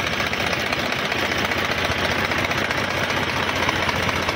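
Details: HMT 3522 diesel tractor after service, restarted after about an hour's running: steady even diesel clatter at idle with injector tick, no misses or extra knocks; engine sounds healthy.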